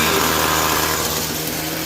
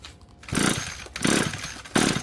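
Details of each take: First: Discarded curbside Echo SRM-2320T string trimmer, just started and taken off choke: small two-stroke holds a fast, steady buzzing idle that never settles; idle speed too high, likely carburetor. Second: Curb-found Echo SRM-2320T trimmer, ignition off, compression gauge fitted. Five even pull-start bursts about 0.7 s apart, each with a firm compression chug, reading roughly 110–120. Good compression on cranking.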